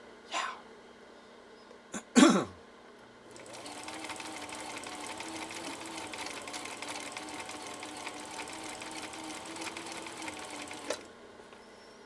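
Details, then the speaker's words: 1960s Husqvarna Viking 6440 Colormatic sewing machine after parts and adjustments, in slow gear (gear reduction) straight-stitching four layers of commercial upholstery material: after handling knocks, motor hums and needle taps evenly and slowly; healthy. "maybe i'll do my slow gear on this so i can have better control huh i could do that let's try that let's try our slow gear on this see what happens"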